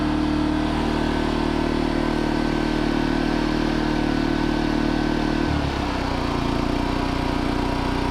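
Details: New 2200 W generator, fresh oil and gas, just after first start on choke: smooth, even hum that drops and settles to a lower steady speed partway through; running normally.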